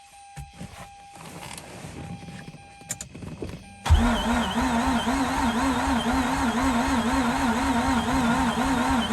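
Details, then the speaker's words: Mazda RX8 not starting: starter cranks with a wavering, even whir that never catches; crank no-start as fuel leaks heavily at the fuel feed pipe connector near the pump into the tank. "wow man i wasn't actually able to see uh while i was cranking because i just cannot twist my arm out that way but i could see it's leaking mad so i believe everything that i'm cranking is just basically just going to waste because of the fuel pump"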